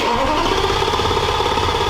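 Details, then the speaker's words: V10 as it started before the junction box fuse was swapped: uneven, lumpy running right after start with an irregularly stumbling beat; misfiring, which ran much better after the fuse swap. "i'll put a clip of how it sounded when you started it before right now"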